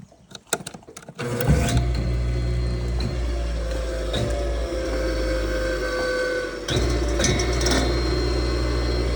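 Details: Auction-bought electric water pump after repair, temporarily wired and plugged into a 220/240 V welder outlet; after a couple of handling knocks the motor comes up to a steady, even hum with no rattle or labouring; runs healthy.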